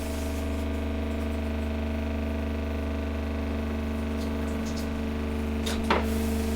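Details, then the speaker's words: Gasland CG360LP tankless propane water heater, new install: steady fan hum and low electrical drone with no ignition whoosh; A4 failure-to-light alarm, burner fails to ignite because the igniter wire was disconnected. "So I am getting an A4 alarm which tells me it's a failure to light."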